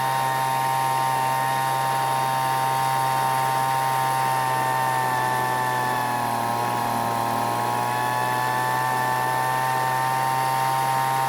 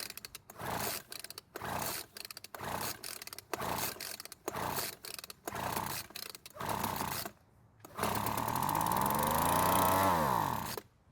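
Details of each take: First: Weed Eater two-stroke leaf blower revived after long storage, H screw set to max engine speed then richened slightly to prevent overheating: steady high-pitched buzz at full throttle with one brief sag and recovery; clean, properly tuned high-speed running. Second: Weed Eater leaf blower that won't start after long storage, compression good, fuel poured into spark plug hole: about eight rope pulls, then fires, revs three seconds and dies; runs only on primed fuel, fuel delivery/carburetor fault.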